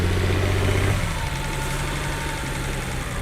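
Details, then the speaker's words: BMW 330i bought as non-runner, Valvetronic servo motor not actuating cams correctly: lumpy, uneven idle with a low pulse wandering in strength; cam timing fault still unresolved. "now we know there's something going on with the vulvatron server motor not actuating the cams correctly but no matter what we've tried we've not been able to solve it"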